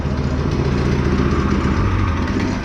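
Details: Go-kart small single-cylinder engine with a newly installed torque converter; short burst of even buzzing at low speed, no knocks or grinding; normal running.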